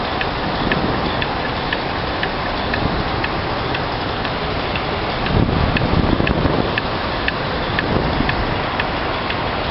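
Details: Sharp, evenly spaced light ticks about twice a second over a steady mechanical hum with some wind; abnormal ticking noise, cause unknown.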